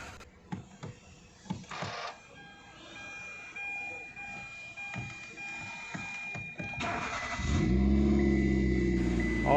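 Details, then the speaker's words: Hyundai Grand i10 push-button start, after ECM repair (resoldered, sprayed, sealed): engine starts on first crank and settles to a steady, even idle; security and engine lights now display properly, immobilizer code cleared, U0155 communication code remains. "look at here with a single self car started now see the security and engine light both are displaying properly before they were indicating improperly"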